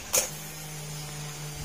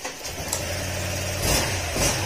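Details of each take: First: Honda Click 125 V3 scooter, about 2.5 years old, misfiring after hitting a pothole: click at key-on then steady low pump hum; fuel pressure reaches only 20 versus 42 maximum, weak failed fuel pump. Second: Honda Click 125 V3 scooter, which had been misfiring and wouldn't start after hitting potholes, after fuel pump replacement with fuel pressure about 41: a steady idle with quick throttle blips, running cleanly.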